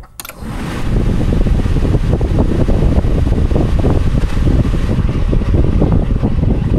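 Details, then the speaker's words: 1993 Honda Civic 1.5, with the cooling fan switch shorted by a paperclip and the ignition turned on: the radiator fan spins up to a steady low whoosh, showing the relay and fan work. The fan switch and thermostat were later found bad. "so pretty much all I did was turn the key on my ignition just once and this is shorted and the fan is running that means the relay here is on it's working properly fan is obviously working"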